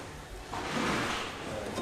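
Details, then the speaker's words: 15-inch TE37 wheel on a 20mm spacer over 300mm Spoon monoblock calipers, turned by hand: brief light scraping swish as the wheel's raised sticker brushes the brake caliper. "Alright, that noise is the raised sticker hitting the caliper. That's how close it is."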